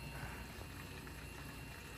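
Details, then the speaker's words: 2005 Porsche 911 Carrera S (997.1), fuel pump run via the PIWIS fuel pump relay to drain old fuel from the tank: steady gushing, bubbling flow over a faint pump hum; fuel moving strongly and evenly. "fuel is chugging out of that thing it is moving moving pretty fast awesome"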